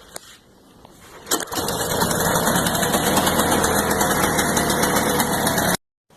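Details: Ariens 522 snowblower after tune-up and carb clean with fresh fuel, primed twice and choked, electric start: brief starter whir, then the engine catches and settles into a steady, even run with no misses or knocks; healthy start.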